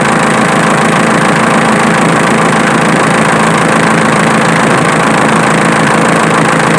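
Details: Diesel engine idling with a sharp snapping tick about three a second over the clatter, located with a camera; the alternator is the source, not the injection pump as suspected.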